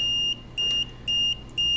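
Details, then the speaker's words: Umbrella reminder project, a wireless FM transmitter and receiver: the receiver buzzer beeps in high-pitched pulses about twice a second, equal on and off, with its LED lit, because the transmitter is out of range. It stops once back in range. "now as you can see the device is out of range the LED is beeping the buses buzzing and it's a pretty crack range"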